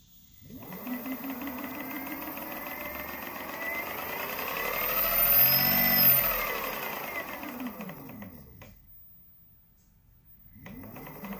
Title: B10 Atom Ticking Sound